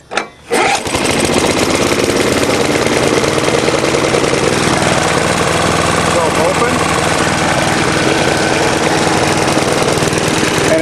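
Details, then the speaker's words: Older Briggs & Stratton Choke-A-Matic mower engine, cold start with air cleaner cover off: catches and settles into a steady, slightly uneven run that sounds a bit rich. "sounds like it's running a bit rich"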